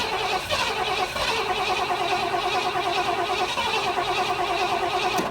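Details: 1973 Ford Econoline van with a 302 V8 and C4 transmission, parked at least 7 years, starter jumped at the solenoid: steady cranking that never catches, with the fuel line disconnected and no fuel coming out of it.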